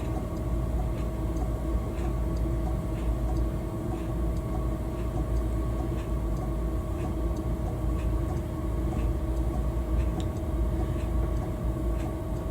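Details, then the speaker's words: Chinese diesel air heater installed on a GRP boat: steady, gentle low fan rumble with faint, evenly spaced light ticking from the fuel pump about every half second, like a clock; normal running. "so there's just a gentle tapping it's like a little tapping of the pump and it's a little bit like the clock when you you get used to it you won't even notice it and then there's the fan and just a a gentle Rumble of the fan"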